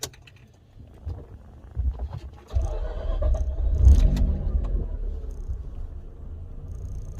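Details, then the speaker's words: Mazda RX-8 rotary engine starting right after loading a new Versatune Lite tune: brief low crank, catches within about a second and settles to smooth steady idle; starts quicker than it used to, normal start. "Doesn't start too bad, eh? Considering, like, yeah, it used to start a lot slower than that, but anyway."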